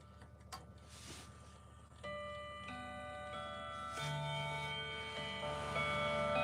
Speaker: All right, let's listen to this thing in action. So the chime's already on. Let's listen to this.